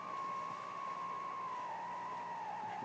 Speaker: i made a uh small transmitter and that noise you hear on the radio right now is um from that transmitter um it's very low power